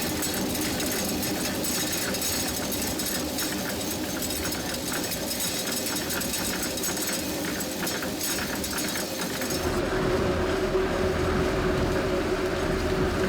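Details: 1797 water-powered grist mill at Union Mills, Maryland; busy, even rattling churn with a quick steady beat over rushing water as corn feeds smoothly into the turning stones, little vibration.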